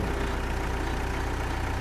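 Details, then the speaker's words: John Deere 310G backhoe diesel, abandoned and long-troubled, running on its own power after repair while the loader is worked: steady, even low rumble, no knocks or misses; healthy normal diesel idle. "It's running. It's running on its own power, man. I can't believe that."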